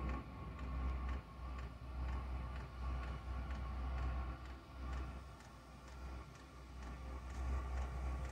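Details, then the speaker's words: Diesel heater switched from kerosene to 100% biodiesel, heard as the pump speeds up: low, soft roar swelling and easing every second or so as the burner attempts to fire in the burn chamber and the fan spins up. "that's a pump kicked in just now so I can hear it attempting to fire up in the burn chamber pump's getting a bit faster"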